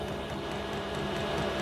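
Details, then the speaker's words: Diesel air heater on an indoor test bed before fitting to a boat, running a couple of minutes: steady even whir with faint regular ticking, nothing rough or rattling; hot air blowing, running normally. "but yes it it worked yes uh I'm I'm amazed it it's been running there a couple of minutes"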